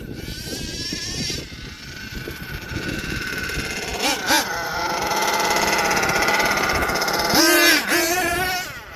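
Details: HPI Savage XL twin nitro truck with Twinzilla kit: high raspy whine surges and sags unevenly, spiking twice as one engine races ahead; motor 2 out of sync, unmatched RPMs so one outdoes the other, before linkage tuning.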